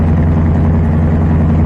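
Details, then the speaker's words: Carbureted engine tuned for cold weather, choke nearly fully open, still on fast idle: steady even low rumble estimated about 1200 rpm, no misses or knocks; normal fast idle. "I'm going to estimate about, 1200 RPM maybe 15 probably 12 but you're going to need it for cold weather operation"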